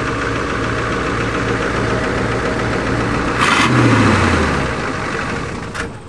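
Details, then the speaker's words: Ford F-250 diesel, warmed up, restart attempt without glow plugs on only one battery: steady, laboured chug around three and a half turns a second that never catches; starter not cranking fast enough, owner suspects it needs lubricating after water exposure. "All right, forget it. Starter motor is not cranking her fast enough."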